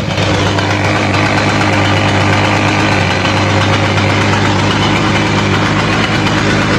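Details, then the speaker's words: Simson S70 two-stroke after fitting an S51 exhaust and a replacement carburetor to cure a fuel leak: steady, even burble with low drone, no knocks or rattles; much quieter than the old exhaust; running fine. "Các bạn thấy đó, âm thanh từ ống xả này êm hơn rất nhiều Ống xả cũ của Chris thì âm thanh to hơn rất nhiều"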